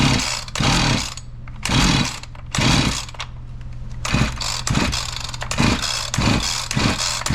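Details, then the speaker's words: Husqvarna 345 chainsaw that suddenly stopped, new fuel filter and plug, spark confirmed: repeated pull-cord bursts turn over with only one weak pop, never catches; won't start, fuel issue suspected. "Okay so what do we got going on I got a fuel issue it did pop a little bit did you hear that one time"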